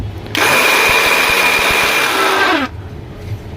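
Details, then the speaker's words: Philips mixer grinder running with jar fitted: loud, harsh roar for about two seconds, blade wobbling; fault is in the jar (worn blade bush), as the motor runs fine with the jar removed. "यह देखो चलने में कैसा दिक्कत कर रहा है यह ब्लेड भी थोड़ा ऐसे ऐसे करके चल रहा है और यह गिलास में ही दिक्कत है"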